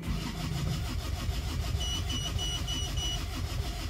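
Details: Isuzu Panther diesel after overheat/seizure repair (warped liner/block polished, not sleeved), first start: catches promptly and settles into an even, steady idle with no misses or knocking; thin black exhaust smoke, no dipstick blow-by; healthy start and idle.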